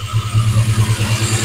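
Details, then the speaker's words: Classic car engine running with a heavy regular low thump about seven or eight times a second; massive exhaust valve fault. "the uh tree is jumping up and down because I have a massive issue on the exhaust valve"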